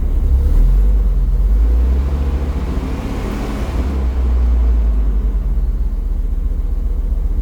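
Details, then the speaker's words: Mopar dually pickup V10 idling just after throttle body cleaning and air filter change: deep lumpy rumble with irregular stumbles, one cylinder still misfiring, starting to smooth out. "Yeah, I've still got a cylinder misfiring. Okay, it's starting to smooth out a little bit more there."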